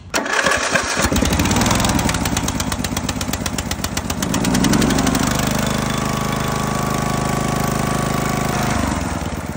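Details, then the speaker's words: Briggs & Stratton Intek engine on a Husqvarna zero-turn mower, after adjusting valve lash to 0.004 in and changing the oil: loud, steady running with a clean exhaust beat and no high-pitched ticking like before; normal running. "here it's a lot less Ticky you hear the exhaust going but you don't hear the tick tick tick tick the high pitch tick tick tick TI tick tick tick that we heard before that's what it's supposed to sound like that's good"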